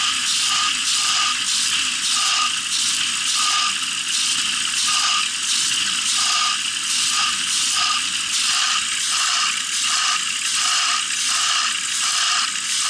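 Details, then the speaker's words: VAZ Zhiguli with a 1.8 engine, 84 mm square, camshaft and rev limiter, after sitting a year: light, uneven metallic tapping at idle about eighty a minute; suspected engine knock turned out to be a loose bolt. "Думал, это стук мотора, а это оказался вот он. Болт."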